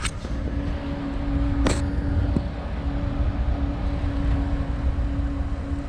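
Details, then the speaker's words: Toyota pickup with newly installed Long Range America 125 L tank, pump jumped at relay (+B to FP) with key on, engine off, checking for leaks: steady quiet electric hum, no surging or grinding; pump normal. "pump's running. It's pretty quiet."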